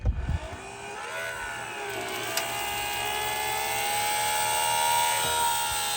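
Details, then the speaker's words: Small plug-in water pump drawing from dropped 7-gallon jug for van shower, no on/off switch: steady whine slowly climbing in pitch, strained with poor flow; owner then suspects it wasn't snapped in tight enough, works after reseating. "Okay, well it flows water, but I think oh man, this thing is messed up."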